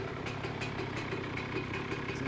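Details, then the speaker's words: 2007 Honda CR125R on its first start; it started on one kick. A crisp, quick, even two-stroke popping idle with no knock, rattle or needle bearing noise, so it is running healthy. "well that was easy enough one good kick and it started right up doesn't sound bad"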